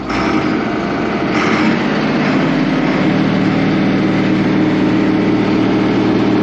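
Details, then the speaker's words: Allis-Chalmers 7580 tractor diesel first start after sitting all winter, 73 degrees, no battery charger; catches quickly and settles into a steady, even, smooth idle; running good. "Running good."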